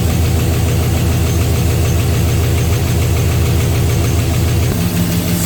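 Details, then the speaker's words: 6.0 LS V8 first start after new rod bearings replaced spun ones: loud idle with a light uneven ticking from the top end, valvetrain parts seemingly short of lubrication; owner suspects they need time to pump up. "It's over here. One of these guys here is making noise. You can see they ain't getting much lubrication."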